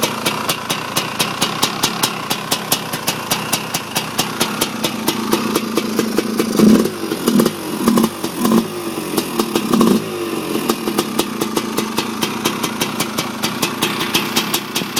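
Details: 1987 Honda TRX250R two-stroke, first minutes after a complete rebuild with new main and transmission bearings, main seals, Honda crank and ESR 310PV cylinder. A crisp, even idle with clean throttle blips that settle straight back. It sounds healthy.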